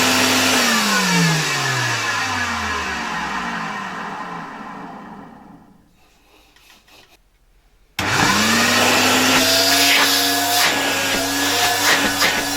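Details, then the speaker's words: 1970 Alfa II vacuum cleaner after motor replacement: whine sinks to silence, then restarts and settles into a steady, even high hum; runs well, though dust puffed out at first start and bearings seemed audible while stopping, lubrication planned. "It works quite well, although a cloud of dust came out of it after the first start"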